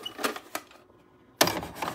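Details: Reassembled Philips SV2000 VCR with the F9 mechanism, after the mode switch repair: a few light clicks, a pause, then smooth whirring and clicking as the tape threads; loading sounds normal.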